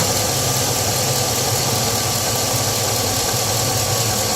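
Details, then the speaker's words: Truck engine at idle: a light, quick ticking clatter, which the owner attributes to the injectors pulsing and the normally noisy valvetrain on these engines; normal valvetrain noise, nothing wrong. "that's just the valvetrain mouth painter on these engines are noisy if you're a bit of a tick that's because if valve drink noisy"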